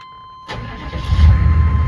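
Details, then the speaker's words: 1995 Chevy K1500 6.5 turbo diesel, now roadworthy, after turbo work (boost still falls flat at about 8 psi, wastegate vacuum canister suspected): dash chime, then it starts right up and settles into a deep, steady run; sounds really good. Normal quick start. "Starts right up. Sounds really good."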